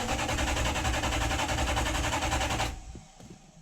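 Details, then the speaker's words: Toyota 1UZ-FE V8 hot rod, first start attempt with fuel and oil pressure confirmed after wiring changes: starter spins engine evenly about three or four beats a second with no catch; no crank sensor signal. "yeah that's not gonna go we can just hear there's there's no life"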